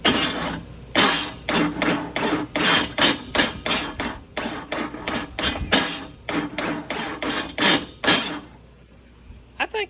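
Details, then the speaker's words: Jeep Cherokee, right-hand drive, that runs fine but goes into limp mode on the road: sharp metallic clanks about three per second while bumping the starter, from a flex plate found cracked through the centre. "flex plate is Warped I'll find out well it's not warped like I thought it's like up and [Music] downward go that it's broke in the center where they usually break"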